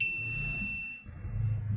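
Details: Multimeter on auto-range probing the input winding of a disassembled 550 A welding-machine transformer: steady high-pitched continuity beep cutting off after about a second, reading a near-short on the very low-resistance winding.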